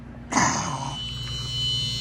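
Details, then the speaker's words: Maytag Performa PSD267LHES refrigerator with its Tecumseh compressor powered through a new relay: the relay clicks, then a steady hum with no start, compressor locked up; to be replaced with an Embraco. "Oh yeah, that sounds delicious. Yeah, locked up. Locked up, buddy."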